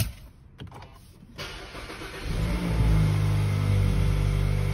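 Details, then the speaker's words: Mazda CX-30 High Plus Skyactiv-G petrol, just started: brief crank, catches, then a steady, slightly loud but even idle. The extra noise right after a fresh start is said to be normal for its high-compression (13:1) engine. "So untuk Mazda ni tuan-puan, kereta ni untuk bila kita baru start, dia akan bunyi sikit sebab Mazda ni dia punya enjin sikit aktif."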